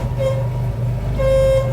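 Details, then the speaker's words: 1959 Ford Taunus 17M idling after its first start in the USA. Two short horn toots with a gap between them: the horn works only one way. The horn contacts are suspected to need work, but the cause is unconfirmed. "it works one way and not yeah we're gonna need to do horn contacts a left hand horn it's a cute little horn"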